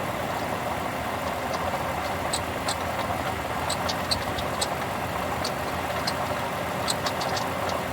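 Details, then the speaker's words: 2007 Lexus RX350 engine at steady idle with scattered light metallic rattles and ticks, audible without opening the hood; the shop diagnosed a leaking water pump making the rattling noise from the engine bay and recommended replacement. "The water pump is leaking coolant, making a rattling noise. Recommend replacement. The water pump is causing the noise from the engine bay."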